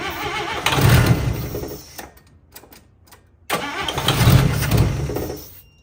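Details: 1955 Chevy Two-Ten coupe parked 40 years: two long cranking bursts, about four beats a second with a few pops, dying each time; cranks but won't run. Owner suspects fuel pump not pumping.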